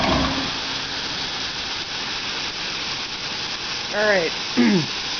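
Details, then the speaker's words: Shop air compressor with homemade air dryer, started cold at 100 psi; even hissy mechanical rush, no knocks or surging, pumping about 2 minutes to cutoff near 145-150 psi; healthy compressor. "it just compressed up to about 150. Actually it cut off at like 145, it looks like, on my gauge. Ran for about 2 minutes."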